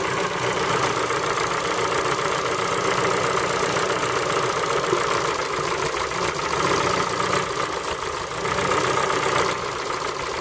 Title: Форд Фокус 3 PNDA стук на холодную